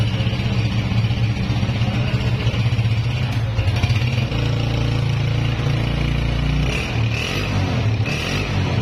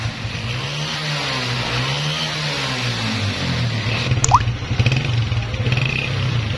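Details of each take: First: Honda CG 125 (2011 model) single-cylinder after repair with a new piston fitted, after heavy smoke and extra engine noises: steady even idle with deep exhaust note, no knocking or misfire, silencer smoke now stopped; normal running. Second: 2011 Honda CG 125 single-cylinder motorcycle with heavy smoke: revving with loose rattles and uneven clatter over exhaust beat; worn piston and cylinder.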